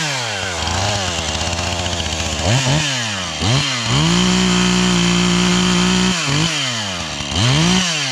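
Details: 440 chainsaw bucking felled oak for firewood on a chilly morning: revs snap up and hold a shrill scream through the cut. The owner suspects a lean high-speed mixture and needs to tune the carburetor; the saw later died, possibly out of gas.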